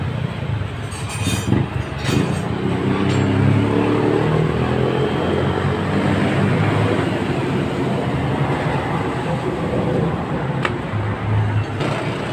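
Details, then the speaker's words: Mio Sporty scooter, which came in not running with a noisy torque drive, running after carburettor check: smooth rising and falling drone, no grinding or rattle; normal running. "an po mga boss ah umandar na po itong motor nier ka kaya ibabalik na po natin lahat ng kanyang mga ano po mga boss"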